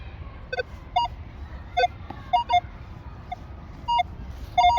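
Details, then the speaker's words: Minelab Manticore metal detector in 5-tone mode on a target showing 3 bars: short paired beeps flip between a high and a low tone because the reading bounces between two tone breakpoints. It sounds cleaner in 1-tone or all-tones mode. "And it sounds like there's it's got like 2 tones. It's got that high-low tone because it's bouncing between both of my breakpoints."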